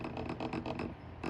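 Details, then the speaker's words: Loose metal collar and retainer ring on a TORQUEBOARDS direct-drive truck motor (wires facing down) chattering against the metal motor: quick metallic rattling bursts, several per second, with short pauses; motor collar chatter. "is typically typically going to be the inside of this motor because it's metal and because this collar is metal and because it's loose you kind of hear that sound or that chatter sound"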